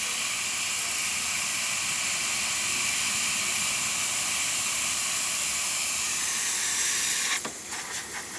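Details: Breville Oracle espresso machine after repair of an overfilling grinder and broken gasket: strong, steady high steam hiss with full even pressure, tapering off at the end; the steam wand works normally.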